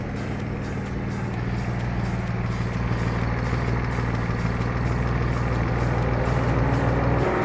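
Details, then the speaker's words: Nissan 350Z V6 idling during an engine oil flush; light quick tick about four per second over a steady idle, suspected valve lifter noise; the flush and new oil did not fix it. "You can hear that ticking noise, which is kind of freaking annoying."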